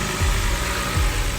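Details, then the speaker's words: BMW E91 325xi wagon that sat three years, running after a new box on the back was fitted: steady low idle with an even, unbroken rumble and no knocks or misses; sounds healthy, slight burnt smell likely oil burning off after a valve cover job. "wagon lives. How insane. It's alive. What the heck? That's sick. Good to know. Sounds good. Sounds healthy."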